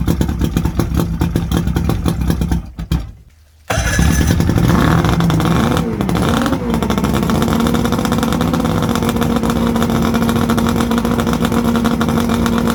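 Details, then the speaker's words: 1979 Johnson 90 hp V4 Seahorse two-stroke outboard on a Steury boat, first start attempt with a plugged telltale: it fires after a short pause and settles into a steady, even burble. Normal running; the owner thinks it could use new plugs. "all right i think i say that runs good probably could use some plugs and stuff"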